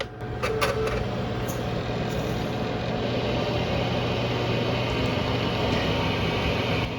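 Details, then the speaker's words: Budget gaming PC restoration, with the three 80 mm case fans it came with plugged in at the bottom. Loud, steady roaring whoosh with a low drone underneath; the fans are far too noisy. "that's the though that noise is the three 80 millimeter fan to the bottom like oh my god"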